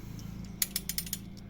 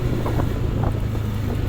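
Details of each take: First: New Honda Stylo scooter, under 300 km, when throttled at about 20–40 km/h: quick light metallic rattles over a low engine hum from the center stand, whose loose ring lets it vibrate; fixed with a rubber spacer. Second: New Honda Stylo scooter, under 300 km, road test after fixing a metallic rattle at the rear: engine note falls smoothly off throttle with wind noise, no rattle on acceleration or deceleration; normal.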